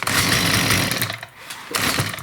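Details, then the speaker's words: STIHL MS194T top-handle chainsaw starting; short bursts running and dying, way too quiet, flat and muffled with hardly any exhaust; suspected plugged spark arrestor screen. "Now, the first thing I'm noticing from years of experience here is the saw is way too quiet when it wants to start."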